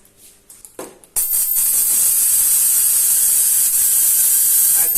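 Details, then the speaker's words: Spark gap Tesla coil fed by a half-wave-rectified flyback transformer: quiet clicks, then a sudden harsh hissing crackle that holds steady; spark gap firing and coil working, just before the high-voltage diodes failed and caught fire. "it's working pretty good. It was working pretty good."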